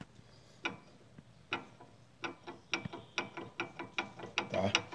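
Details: Nissan Sentra suspension noise owner couldn't locate: sharp metallic clunks as the stabilizer (sway bar) link is rocked by hand, caused by a defect in the link's mounting, not a loose nut.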